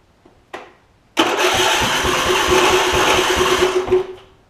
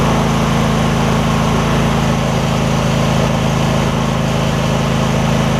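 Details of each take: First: Husqvarna YTA 24V48 rider (hydro-swapped), 24hp Briggs V-twin, ~190 hours, heavy oil consumer: starter click, then a few seconds of rough uneven firing that dies; exhaust pushrod fallen off right cylinder. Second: Husqvarna rider, 24hp Briggs V-twin, about 190 hours, after refitting fallen-off right-cylinder exhaust pushrod: steady even low rumble at fast idle, no misses, knocks or stumbles; started within half a revolution, repaired.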